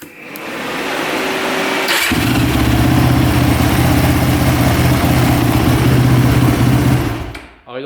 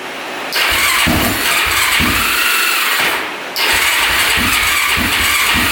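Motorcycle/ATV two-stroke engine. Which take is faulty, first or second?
second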